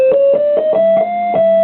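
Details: Vox Super Continental organ under repair: one held note with a second lower tone creeping in beneath it; note bleed that persisted after a card swap, traced to dirty ground bus connections.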